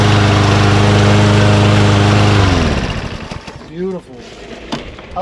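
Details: Mower after its compressed, air-restricting filter was replaced with a new one: a steady, even engine hum at constant speed for a couple of seconds, then shut off and winding down. Runs healthy.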